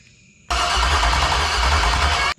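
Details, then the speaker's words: Marketplace LQ4 6.0 V8 (circa 1999–2000, iron heads, hit by gunshot), test-fire: steady starter cranking without catching; no spark traced to bad coil pack ground, fixed. "right I didn't have a good ground on my coil packs so I got spark now should fire up"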